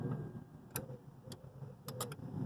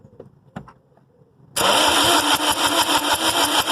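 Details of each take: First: A 2005-12 Lexus IS220D with a P0405 code has its EGR valve reassembled off the exhaust manifold. With the ignition switched on, sparse sharp clicks sound over a low hum as the EGR valve actuator moves. EGR actuator working. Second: A 2005-12 Lexus IS220D with a P0405 EGR code, just erased, has its EGR solenoid and body reassembled but not mounted on the exhaust manifold. The starter cranks steadily at about three pulses a second for about four seconds and it never fires. Crank, no start, cause unconfirmed.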